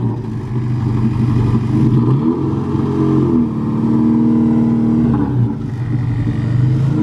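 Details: Car with a newly fitted distributor, running on fresh E85. The note surges then sags unevenly with the throttle held, revs dropping out in rough bursts as it cuts out; a dirty fuel filter is suspected, cause unconfirmed.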